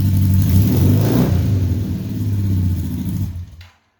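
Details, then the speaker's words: 1978 Honda Hawk cafe-racer build with automatic transmission, after re-seating the off-centre header and tightening the nuts onto the copper compression ring: short rev rises and falls cleanly, no popping, hissing or spitting; exhaust leak fixed, running normally. "Sounds much better. No popping, hissing, spitting through an exhaust leak."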